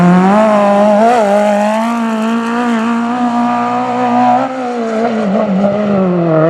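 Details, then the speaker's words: V8 Magnum Super Buggy race car at steady high revs with a slight uneven wavering flutter that persists after hours of carburetor adjustments, float and jet changes; cause still unknown. "we've been here for several hours now just making numerous carb adjustments and we still just can't get that little flutter out"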